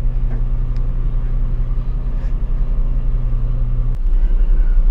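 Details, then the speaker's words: Washing machine hums but drum won't turn: deep steady motor hum for about four seconds, then cuts out with no drum rotation; loose drive belt off the motor pulley, motor itself runs. "so Ayan guys no ito yung sira ayaw umikot ng kanyang yan kanyang LC dito sa loob So ngayon bubuksan natin yung likod umaandar naman yung motor humuhugong lang"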